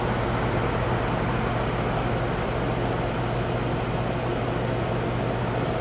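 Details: Goodman AC outdoor condenser after a temporary leak fix at the coil: steady, even fan rush and low compressor hum with no hiss, running normally; no bubbles on leak check.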